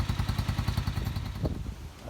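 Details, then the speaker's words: Honda CG125 single after spark plug, oil, air filter, battery, old fuel, carb clean and valve clearance work: steady even idle about ten beats a second, no misses or knocks, ticking over nicely. "she's just sitting on the row and ticking over quite nicely so now we know at that so here now we know the engines working fine and we're all happy with that"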